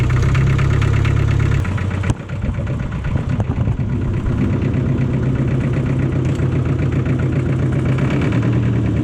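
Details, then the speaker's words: John Deere 1010 crawler dozer diesel, sat in a barn about 12 years; after bleeding injectors by cracking the lines it runs with a steady, even low chug at idle, no knocks or misses; fixed and running. "well there it is i mean it's fixed up and running"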